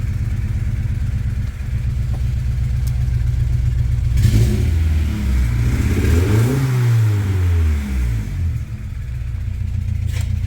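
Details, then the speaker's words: 1999 Acura Integra DC2 B18 LS, still warm, with a bent valve: revs blipped up and down with a raspy puffing chuff on each rev; exhaust leak, owner suspects original catalytic converter plugged and gasket pushed out. "but you can hear the car let's start it up still warm from me driving it but it's leaking"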